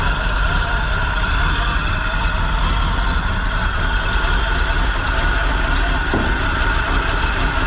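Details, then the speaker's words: Big-block Chevy in 4x4 1957 Chevy sedan delivery, first start: steady even idle with light gear whir from the gear drive; runs and idles well, accelerator pump working, no coolant or fuel leaks. "okay it ran pretty well it idles seems like the accelerator pump's working"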